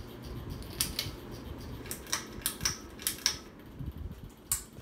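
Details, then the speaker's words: 42-inch Hampton Bay Landmark III Plus ceiling fan, installed in 2011 in a guest-house laundry room, on high speed: irregular ticking and clicking over a soft airy whoosh as it wobbles; a loud, rough-running fan that still moves a lot of air. "all right here goes hi this is both it's wobbly and it's loud of speed pushes a lot of air though I will give it that but other than that it's just not a good fan"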